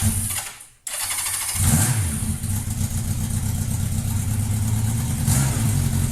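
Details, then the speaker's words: 1992 Honda Nighthawk 750, 44,273 miles: the starter catches quickly, a short blip, then a smooth steady four-cylinder idle with no ticking or misfire; healthy running bike. "it is an awesome running bike and we paid $300 for it so we already are down to working with a twelve hundred dollar budget as far as getting this thing looking right but here's startup video so you can hear what it sounds like"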